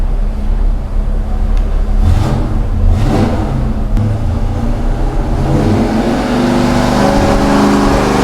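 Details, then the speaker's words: 1970 GTX 440 V8 on the dyno, later full-throttle run, no rear seal oil leak: deep heavy roar, pitch climbing steadily, even, no misses or knocks; 394 hp at 5,000 rpm, peak torque 493.4 at 3,300 rpm; healthy. "This one did a lot better. Here we go. At 5,000 RPM, we pulled out a 394 horsepower, and the maximum torque is at 493.4 at 3,300 RPM."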